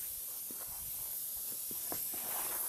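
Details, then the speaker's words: 2005 Honda Accord AC condenser pressurized with about 40 PSI compressed air via low side: faint steady hiss of escaping air with light knocks; small hole found, condenser won't hold pressure, probably causing AC failure; condenser replaced. "Look at that. We have a small hole. Yeah. So, this condenser is actually shot, and that's probably why this gentleman's air conditioning is not working."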